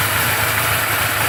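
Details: 1981 Suzuki GS850G at steady idle, before repair: a thin high whine over the engine from the cam chain, caused by an incorrectly installed cam chain tensioner.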